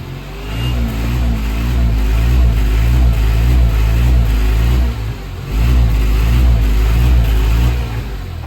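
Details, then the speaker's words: Tata Nano, owner suspects clutch plate gone: pulling away the engine drones low and labours at steady revs while the car barely gains speed, needing full throttle to climb a small culvert and barely moving in first gear; slipping clutch. "पर अब problem आती है, अब मेरे को लग रहा है इसकी क्लच प्लेट गई।"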